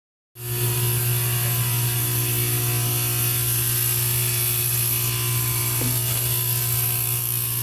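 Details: Heating unit: loud steady low hum with a constant buzz and high whine throughout, unchanging; the unit is noisy again, cause unclear.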